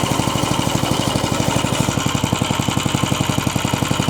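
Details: Vintage Tote Gote minibike, small single-cylinder engine, being recommissioned: thumps along quickly and evenly, steady firing with no misses or knocks; normal running.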